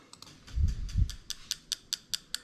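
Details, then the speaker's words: JZ modular harness with ECUMaster Classic ECU for a 1JZ-GT-swapped IS200, ECU output test of the injectors in sequence, engine off. Crisp, regular ticks about five a second: the injector fires cleanly and works. "so we're going to start on the injector i'm going to hit test you can hear the injector clicking away"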